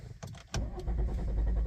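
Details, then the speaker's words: Volvo V60 D3 diesel, hard starting: long, even cranking without firing that fails on the first try and starts on the second; it also loses speed under acceleration while driving; cause unclear. "it cranks like this you can hear the crank it's cranking it's cranking then fail to start"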